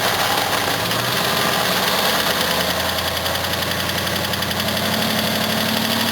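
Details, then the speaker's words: Series 2 Jaguar XJ6 (308) on a jumper battery, still cold: idle carries a quick busy ticking rattle over the engine note, the reason it isn't being driven; source not pinned down. Cold idle noise, unconfirmed. "I found out here while sort of cold still you might be able to hear the L this on the camera that's the reason why I'm not driving it too"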